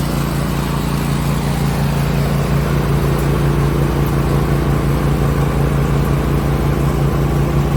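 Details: Cub Cadet LTX 1046 VT hydrostatic with Briggs and Stratton engine and MTD snowblower attachment, worm gear just rebuilt with new parts: loud, steady low drone with even pulse, no knocks or grinding; normal running.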